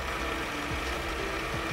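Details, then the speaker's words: ARB on-board air compressor in a van, controlled by a phone app and pumping both front tires from 35 up to 60 PSI. A fast, even mechanical chatter with a steady buzz and no knocking or straining shows normal operation. "and again it's pumping up two right now it's pumping up both fronts now"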